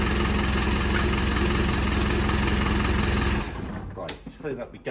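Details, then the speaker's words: Land Rover Defender diesel running after fitting new RTX starter motor, following gearbox, transfer box and clutch replacement: steady diesel clatter at an even idle with a firm, regular beat before switch-off; runs clean and healthy. "I'm going turn it off so night runs all I need to do is get the seats back in"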